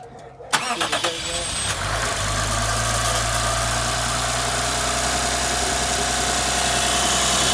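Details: 2006 Lexus IS350, 3.5L 2GR-FSE V6, just rebuilt for a bad passenger-side head gasket and cylinder 5 misfire, starter spacing fixed with washers: a few quick cranks, then catches and settles into a smooth, even idle with no grinding. Normal start.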